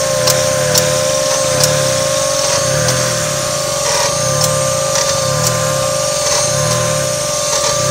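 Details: 1995 Mazda MX-3 at idle: sharp click about once a second over a steady whine, idle dropping sharply then recovering to about 1,000 rpm each time, slight rattle; owner suspects the AC, source unconfirmed.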